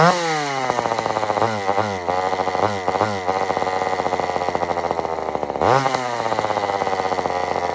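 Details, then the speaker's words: Old Sears Explorer II chainsaw during carburetor tuning after cleaning: revs surge, drop and blubber instead of holding speed; badly out of tune, adjustment screw being turned in, muffler falling off. "now first off this Muffler is falling off which I don't don't think that's normal for a muffler just to start falling off"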